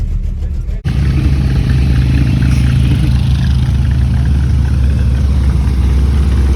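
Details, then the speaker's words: 1982 Chevy/GMC square body truck V8 revived after five years in a field, good oil pressure, alternator charging, warming up: deep steady rumble with no knocks or misses; normal running. "so far so good it's running hopefully get it back up to the house that'd be pretty cool sounds like it's running pretty dang good which is awesome"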